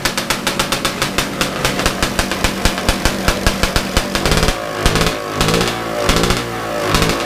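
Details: Big-bore stroker 277 two-stroke snowmobile engine, first start after rebuild with new sleeve, primed beforehand: sharp, quick firing pops settle into a crisp revving run that picks up cleanly and holds; running healthy.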